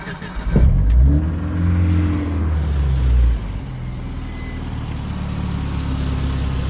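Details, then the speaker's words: 1988 Jeep Comanche 2.5L Renix I4 after idle speed motor and TPS adjustment: engine catches, flares briefly, then settles to steady idle around 950–1,000 rpm, TPS reading 10 — normal idle. "so now she comes right back down, rating 10 on the TPS. And idles around 950 to 1,000."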